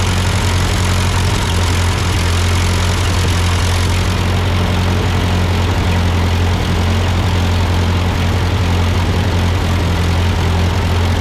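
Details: Ford 8N tractor idling after an amateur carburetor adjustment. Uphill sputtering had been traced to a cheap Chinese replacement carb; an old Marvel-Schebler ran fine. Strong, steady low thrum with no surging, misses or stalling; a normal idle.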